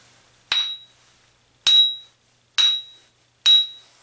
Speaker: so there you go that is how you ring test the grinding stone to verify its Integrity if you hear the high pitch ring you're safe